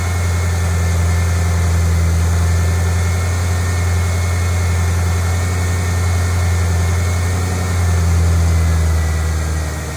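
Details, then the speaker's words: 2008 Mustang GT V8, cold start after an oil change from dirty 6,000-mile oil to synthetic Pennzoil Platinum: a steady, low idle with an even throbbing pulse, no ticking or knocking; normal cold idle. "as before we're gonna do its first cold start we'll see how it sounds now understand that the first second or two that it runs it has to move the oil around so it will likely make a little bit of noise but it'll quiet out right away"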